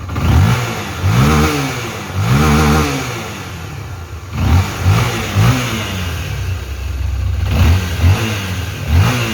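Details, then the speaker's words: Honda XRE/CB 300 single-cylinder engine after fixing the worn left-side crankshaft main bearing and refitting: revs cleanly on repeated blips and settles to a steady idle, all the earlier noise gone. "como vocês puderam ver aí acabou todo ruído tinha naquele motor ali galera"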